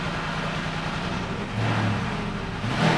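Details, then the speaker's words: Porsche Cayenne Turbo V8 after rebuild, indoors in an echoey garage, still in open loop: even settled idle with one brief rev rise; runs smooth, normal, much better than before. "Oh, so much better. This probably sounds funny to you. It's echoey in here of course, but I'm telling you that's normal basically."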